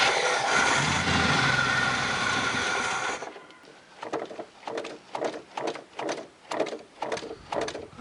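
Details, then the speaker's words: Old Z28 Camaro, fuel drained before storage, fed from a gas can: about three seconds of loud cranking that never catches; it turns over but won't fire, no gas reaching the carburetor; owner unsure if the fuel pump works. "I'm not getting any gas up to the carburetor so it wasn't having any luck getting the carburetor to fill up with gas I don't know if the pump's not working or what"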